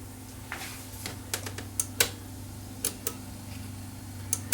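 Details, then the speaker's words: Sherwood CD changer with top off, powering on, showing error and dim display: soft irregular ticks and clicks over a faint hum as the laser sled shuttles back and forth to home position; tray makes no attempt to open, cause unconfirmed. "all it's doing is the laser is slightly moving backwards and forwards like it's returning to the home position that's all it does"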